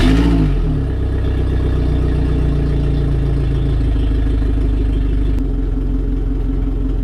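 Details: Suzuki DF150 outboard on water muffs during 200-hour maintenance, started after oil, oil filter, gear oil and NGK LKR6E plug change: engine catches and settles into a steady, even run with no knocks or misses; normal running.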